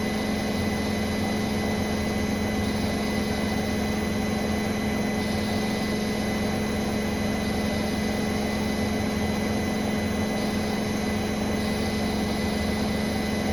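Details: Brand-new Bosch Serie 4 WAN28281GB washing machine on the final spin, balanced load: steady, high, whistling squeal over a low drum hum; seal is clear of the drum, owner wonders whether it is bearings or the belt.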